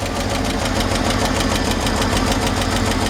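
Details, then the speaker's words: 1953 Chevrolet 5-window pickup idling six-cylinder, upgraded to 12 V: sharp, rapid ticking puffs where the pipe meets the exhaust manifold, with air felt escaping. The cause is a blown donut gasket, and replacing it is the usual fix. "So yeah, where the exhaust attaches to the exhaust manifold with the pipe, the donut there is blown out. That's not uncommon."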